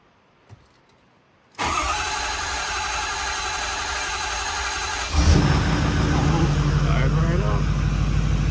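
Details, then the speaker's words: 2010 Ford F350 6.4 Power Stroke diesel after head and ARP head stud rebuild, first start after priming, no coolant yet: fires at once into an even idle with no knocking or smoke, normal start and idle. "there's no water in it so let me get out there make sure it's not knocking or anything sounds good so not smoky"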